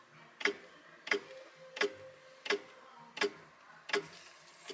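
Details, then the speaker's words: Fairly new electric SU fuel pump, replacing the original mechanical pump, tested pumping fuel: slow, slightly uneven sharp ticks of about 86 a minute. It cycles too slowly and delivers weakly, blamed on a too-tight pump. "They usually go ticka ticka ticka ticka ticka ticka. They don't. That's kind of a slow pace."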